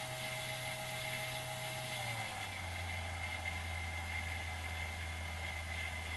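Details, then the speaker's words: Banggood 220V 72W micro variable-speed electric drill/rotary tool, running unloaded in forward: clean, even planetary gear whine over motor hum, pitch stepping down smoothly as speed drops; normal healthy planetary gearbox, not straight drive like a Dremel. "that's got a planetary gearbox you can actually hear the gears rotating so it's not a straight drive like a dremel"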